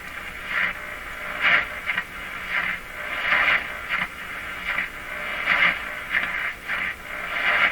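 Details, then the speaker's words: Grundig 2030 AM/FM tube radio tuned across a weak station near 860: hissy sound swells and fades in bursts about every two seconds as AVC acts; odd pumping, sounds like a loose contact, cause unexplained. "foreign signal comes in the AVC takes place it's it's causing such a change in the sound that it's causing this weird weird it sounds like there's a a contact in there I'm sure there isn't"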